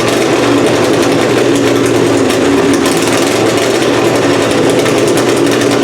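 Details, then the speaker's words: Methanol-fueled pulling engine "Plan B", first run of the season after an annealed head gasket install and timing adjustment: loud steady high-rev bark with an even beat, no misses or knocks; carburetor still needs tweaking; normal revving. "we got Plan B fired up sounds pretty good head gasket seems like it's all still sealed up uh timing sounds good now that I adjusted it"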